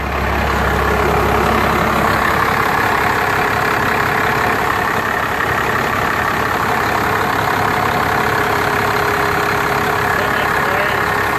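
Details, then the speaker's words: 1990 Ford F250 with Cummins 5.9L diesel, manual, just after oil and bypass filter change with AMSOIL 15W-40: loud steady diesel clatter at even idle, about three beats a second, no extra knocks; smooth, normal idle. "Sounds good. Beautiful. Smooth as silk."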